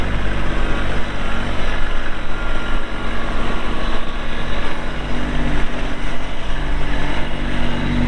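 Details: 2022 Kubota LX2610SU 4WD hydrostatic compact tractor with LA535 front loader, 138 hours; small diesel chugging at a steady, even idle with a low smooth beat, no knocks or misses. Normal diesel running.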